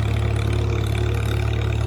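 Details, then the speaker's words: IH McCormick Farmall 350 tractor running on unleaded gas, high range: low, steady idle with even pulse and faint constant governor hum; normal, like a 756 motor, engine healthy. "my 756 was like that and interestingly enough the uh 756 motor had a little bit of a hum just like this one"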